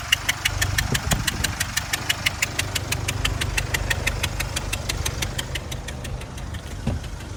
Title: Land Rover Range Rover 2018 velar diesel !!!!! POS !!! Only with 100*kms . Knocking noise engine??